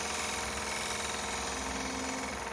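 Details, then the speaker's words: Lathe turning a small cherry bowl with a scraper: fast buzzing rattle over the lathe hum; tool chatter from cutting too fast or too hard, slow down and go gentler. "And if you hear the vibration sound, I don't know if you could hear that, just means you're cutting a little too fast or going a little too hard."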